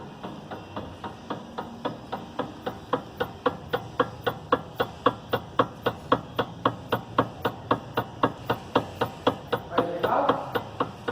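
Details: 2011 Hyundai i30 2.0 petrol, car rocked in workshop yard, customer reports knocking over rough pavement: sharp regular knocks about twice a second; worn stabilizer links and anti-roll bar bushes.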